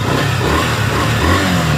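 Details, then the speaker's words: 2023 Honda Bros 160, bought a week earlier and nearly new, runs with its air filter removed: a loud single-cylinder rumble with a deep, hollow intake roar that swells with the throttle. The owner was worried, but it is normal. "aí fica esse barulhinho aqui ó ó essa roncadin aí ó pessoal gosta né"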